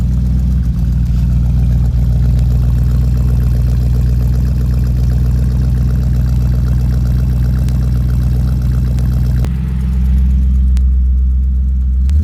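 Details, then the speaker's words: 1969 Chrysler Newport big-block V8, glass packs with one-year-old pipes: deep, even idle burble with steady low pulse, no misses or ticks; smooth, healthy idle. "See, it idles nice and smooth. It's got glass packs underneath it. The pipes are all 1 year old on the glass packs."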